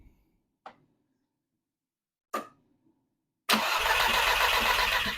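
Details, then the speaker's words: Manual-swapped VW Mk4, first start: a couple of clicks, then it runs loud and raspy with a busy ticking top end. Owner suspects an exhaust leak; the top end is very loud, oil level is fine, and there is a minor power steering leak. "the exhaust sounds like ass I think we have an exhaust leak uh I have a minor power steering leak but that ain't nothing wow let's double check the oil but I will say the top end was very loud very loud"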